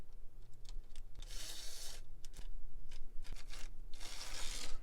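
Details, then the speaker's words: Model train locomotive from a bought eBay lot, missing one wheel: rough scratchy rasping surging and fading; motor seems in terrific shape, uneven running from missing wheel. "yeah I mean uh with one wheel missing it's just not going to run that great but the motor and everything else seems to be in terrific shape so that's good"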